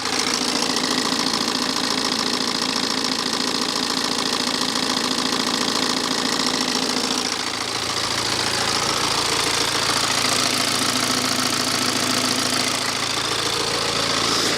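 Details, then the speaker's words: BMW 318D N47 diesel, engine cover removed, at idle. A fast even clatter and light rattle, with a rattle on startup and a faint squeak likely from the alternator pulley. Owner questions whether the timing chain is excessively loud. Not confirmed. "But what do we think about the timing chain? Does it sound excessively loud?"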